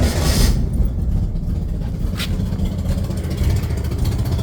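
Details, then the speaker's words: 1967 Chevrolet Corvair Monza 110 flat-six with dual carbs, long parked and hard to start or accelerate, just fired: coarse, uneven, tractor-like rumble with loud puffing from a known bad exhaust leak. "Okay, she sounds like a tractor, which isn't unusual for her because she has a bad exhaust leak."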